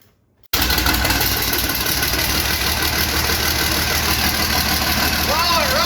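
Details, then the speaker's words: International 756 tractor with swapped-in DT360 diesel, not run for a few years: after a second of quiet it catches and settles into a steady, even idle with firm chug, no knocking; water pump weep hole leaking. "Wow, it runs! Woohoo! It's coming. There we are."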